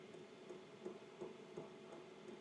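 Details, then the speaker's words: Hcalory Toolbox 2S Plus (TB2 Plus) portable diesel heater set to hot, starting up. Soft fan hum with a light fuel pump tick about every third of a second while it primes before ignition, drawing about 116 W; normal start-up. "If it's anything like the diesel heater I've got fitted in the van, it obviously runs a little while doing a sort of purge before it actually fires up and starts burning."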